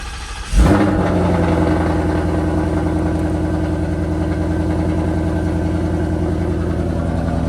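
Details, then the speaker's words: 2019 Ford Coyote V8 with 10-speed, after replacing a wiped exhaust cam lobe and rocker arm plus Boundary oil pump gears, oil system primed: starter catches in under a second, then a steady, even rumble with no knocks or ticks. "And we got oil pressure. Look at that. Alright, let's see what it sounds like. Make sure we got no leaks."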